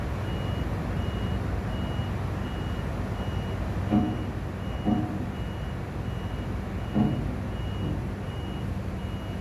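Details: Crane standing idle after driver returned: high, sharp beep roughly every 0.8 seconds without pause over low engine hum; continuous warning beeping, cause unknown.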